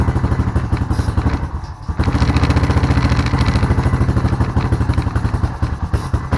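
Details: Honda Rancher ATV single-cylinder after sitting with old gas, carburetor refitted and fresh gas added: rapid putter dips and nearly dies then recovers, runs a bit better but intermittently stalls; carb jets then re-examined.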